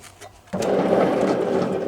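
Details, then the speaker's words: Simplicity Regent riding mower with PTO engaged, one side's deck bearings already replaced: loud, rough whir with a gritty grinding edge from a failing mower deck spindle bearing; shield rubbing dirt may add noise. "but i did find a bearing that was failing over here"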